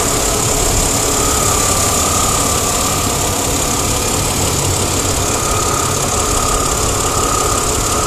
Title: Crossfire Engine Ticking Sound